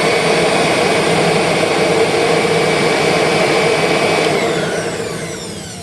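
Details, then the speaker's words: 2001 Kirby G6 vacuum after refurbishment with an upgraded transmission, running in the correct direction: steady high-pitched whir, smooth with no scraping or rattle, winding down; brush sparking almost gone, normal motor run. "Any little sparking that may have been there is pretty much almost completely gone. But there's a tiny bit there. It's really minimal, though. Oh, I hate to say it, but that's smoother."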